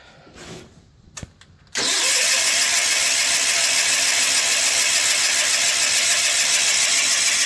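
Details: John Deere 316 lawn tractor: both plugs gapped and sparking, oil present, air cleaner off and a little gas dribbled into the carb. Steady fast cranking whir about three and a half turns a second that never fires. It started only after more gas was poured in.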